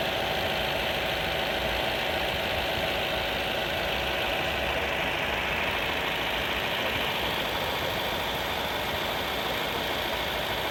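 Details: Opel Corsa D 1.4 A14XER, 134k km, oil changed every 10k km, first cold start in the morning: faint, fast, even ticking rattle under the idle, lasting 1–2 minutes then nearly vanishing; owner suspects the never-changed timing chain.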